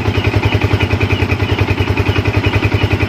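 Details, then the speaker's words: Yamaha Vixion showing MIL code 46 (electrical check pending; battery about 13 V engine off): steady, even single-cylinder idle at about three and a half beats a second with no extra clatter, idling normally. "dan tidak ada kendala di sini ya tidak ada kendala tidak ada laporan apa oke"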